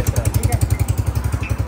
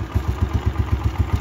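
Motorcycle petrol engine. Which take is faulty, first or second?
first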